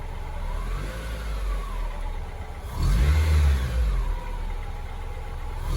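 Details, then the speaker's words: 2002 Acura RSX Type S K20 after replacing defective IACV, nearly warm at about 1000 rpm: throttle blip then settles straight back to even idle without hunting between 1000 and 2000 rpm as before; surge fixed. "okay looks like replacing that iecv did the pro did the fix"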